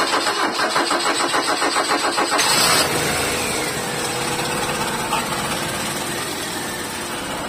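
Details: Ford Lynx 2000 manual: engine cranks, catches and idles with uneven, stumbling beat; engine misfire caused by fuel rail leak.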